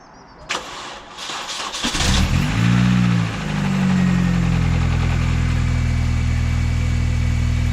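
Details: Mini Cooper S R53 track car, first start after clutch, gearbox and subframe refit with polybushes, on jump leads, checking for leaks; a few cranking turns, then catches into steady even idle with low smooth hum. Normal start and idle.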